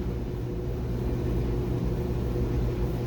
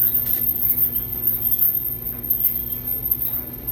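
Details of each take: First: Dryer that had a high-pitched continuous squeal, test run after reassembly with the idler pulley refitted and oiled: steady low drum rumble with no squeal or chirp for several seconds. Normal running. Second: Dryer running a full load of clothes, with the squeal returned despite an idler pulley replaced in June 2023 and the area cleaned: a faint chirping squeal over a low steady drum rumble, worse than before; cause not pinned down.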